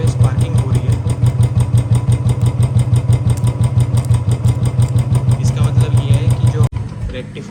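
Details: Royal Enfield Bullet Standard 350 BS4, 2018, with a battery-drain no-start complaint, idling while the charging coupler and rectifier are tested and found fine. Steady thump about three beats a second with no misses; healthy running.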